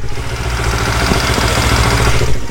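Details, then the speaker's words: Yamaha R25 with swapped-in R3 twin engine and Akrapovic exhaust, idling: loud beat with busy rattly clatter; cam chain tensioner not yet adjusted. "Itu ketengnya belum disetel lagi. Itu sebenarnya nggak bener cuy."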